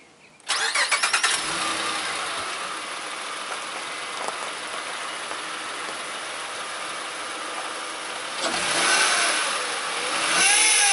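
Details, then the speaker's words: 2006 Honda Ridgeline RTL: engine cranks, catches and settles to idle, then a faint wavering whine rises; failing power steering pump, steering very heavy once warm, before pump replacement. "kind of hard to tell in the video you know I don't know I don't know what you'll hear but those a little wine in turns really really hard"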